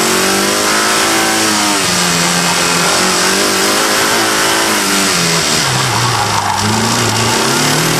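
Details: Engine revving with a deep knock that follows the revs, recorded by a microphone in the engine bay; first thought to be a bad lifter, it turned out to be a failed rod bearing and cracked crank.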